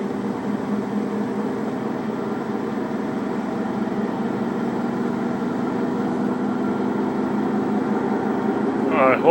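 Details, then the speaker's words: Samsung washing machine after the calibration procedure: low, even droning rumble building as the drum spins up, same noise as before; owner suspects a bad drum bearing, unconfirmed. "you can hear that noise I can hear it fine it's same noise exactly bad bearing on the [Music] machine this is after calibration procedure"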